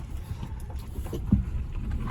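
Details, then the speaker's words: Renault Zoe ZE40 (5AQ motor) test drive on a private road after a motor bearing repair and rebuild: quiet low rumble pulling away with no whine or grinding from the motor, just road and body noise; front suspension knock gone. "well it sounds all right so far no noise at all from the motor which is really good"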